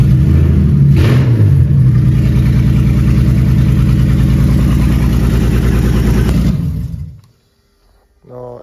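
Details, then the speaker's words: BMW E30 330i first real start after engine build: loud heavy low rumble revving at about three pulses a second, shaking hard, then cut off; loud rough running with strong vibration, cause unclear. "dites-vous tellement ça ça fait du bruit et ça vibre"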